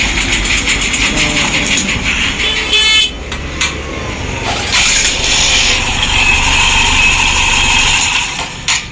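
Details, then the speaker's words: TVS bike after timing chain repair; it had made a rough grinding noise before. Fires up and settles into an even idle under street noise, no rattle or chatter from the timing chain; normal idle. "देखिए दोस्तों sound बिल्कुल सही है sound में जरा से भी problem नहीं है बिल्कुल सक्सेस बिल्कुल सक्सेस"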